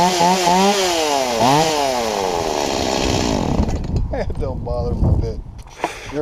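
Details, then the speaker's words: Stihl MS170 chainsaw that was bogging down, after the carburetor inlet control lever, found bent too low, was lifted about 2 mm with pliers: it snaps up cleanly, drops back smoothly and holds revs through the cut with no bogging; fixed. "so all I did is I took a pair of pliers and I gently lifted it up about 2 mm after which this is what happened"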